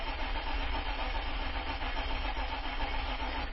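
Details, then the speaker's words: Isuzu Rodeo with a cranking no-start after a new fuel pump: low, chugging starter crank with unevenly rising and falling pulses, suggesting uneven compression. The owner doubts it causes the no-start; the fault was later found in the fuel pump wiring. "not saying I'm crazy about the sound of the compression by the way if you've noticed let's try that one more time take a listen to the compression"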